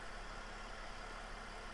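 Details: 2009 Mercedes E320 Bluetec diesel being repaired for a boost/loss-of-power issue: engine at idle during a diagnostic test, faint even diesel hum with no misses, knocks or hiss; settled, healthy idle.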